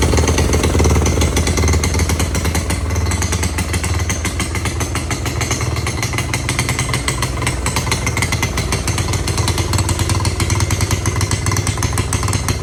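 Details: 1986 Honda Fourtrax 70 ATV, first start after revival and a stator replacement, carb adjustment out of whack, air cleaner off, being choked and spitting gas: loud, fast, uneven small-engine racket holding near full throttle, smoking. High idle; owner hopes refitting the air cleaner will tame it.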